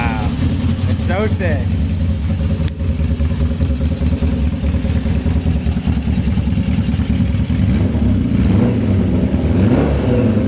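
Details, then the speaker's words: GS750 four-cylinder cafe racer running for the first time with its new custom exhaust, before dyno tuning, carb jets still a guess: a steady, even, deep exhaust beat on all cylinders with no misses or knocks. It sounds healthy. "Okay, wow, it all works and we got it to run, which is sick. Sounds so cool with this exhaust."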